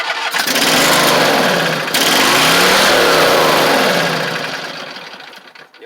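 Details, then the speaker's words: Husqvarna YTH24V48 mower engine with carburetor issues fires and revs, then hunts instead of settling to a steady idle and dies away; the governor broke again, and an internal engine problem is suspected: broken governor. "that the governor broke in it again so there's something going on inside of this engine that's causing these issues with the governor"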